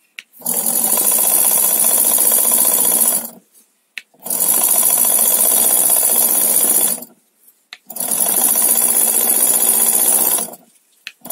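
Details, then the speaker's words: Mamod SL1 toy steam engine after mechanical refurbishment, pressure up to 15: bursts of rapid, even chuffing at about four beats a second with pauses between runs, no audible leaks; healthy running. "if i close the valve i can't hear anything leaking whatsoever doesn't mean to say that it isn't but she sounds good"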